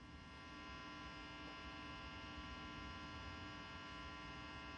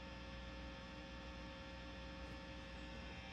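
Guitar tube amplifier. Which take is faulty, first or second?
first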